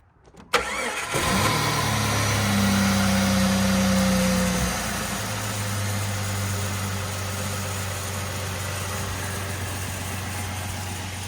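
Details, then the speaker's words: Rebuilt Jeep engine with flat tappets on Rotella T4 15W-40 plus Lucas break-in additive, after break-in, coolant still low and a hose leaking: cranks and catches quickly, brief rev, smooth even idle; earlier knock gone. "We're still a little low on coolant, but engine wise, runs great. Sounds great. Let's start it up and hear it."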